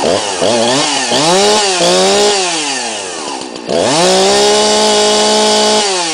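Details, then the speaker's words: 2005/2006 Husqvarna 346XP chainsaw, cold start: catches quickly, revs up and down with crisp two-stroke buzz, then holds steady high pitch; normal start and run, saw leaks bar oil. "as you can see or you could hear it starts up and runs just fine"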